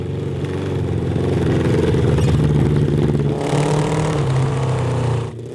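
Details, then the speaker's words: Honda CB750 750cc cross kart engine with factory jets restored and a homemade air box: pulls steadily, then turns rough, clattery and uneven once throttle opens past half. Fine at half throttle or below; engine breaks up above half throttle. "so [Music] it's fine as long as you're like half throttle or below"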